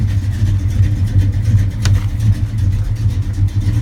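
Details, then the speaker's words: 1969 Dodge Dart GTS 340 V8 with factory 4-speed, cold start, good oil pressure: deep, slightly lumpy V8 burble holding steady at idle with no knocks or ticks: normal cold idle. "You can see it's a cold start, you know. Nice oil pressure. It's got a great sound to it. Obviously a nice Mopar sound."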